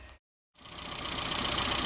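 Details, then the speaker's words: Classic Mini with K&N filter, after needle change and part-throttle fuelling set to stoichiometric across the rev range: brief dropout, then smooth even pickup without misfire; previously a misfiring engine. "okay so we got this one dialed in beautifully now um i've got stoichiometric or just under uh all the way across the rev range it's beautiful"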